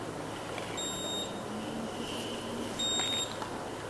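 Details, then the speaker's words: Terra Kaffe TK-01 coffee machine, not fully powered down, with its door open: shrill, half-second two-tone beeps repeating about every two seconds. It also beeps when the water tank or drip tray is removed. This is the door-open warning. "It could also be like a space issue for some people if they have limited counter space, but also because unless fully powered down, whenever the door is open, it beeps constantly."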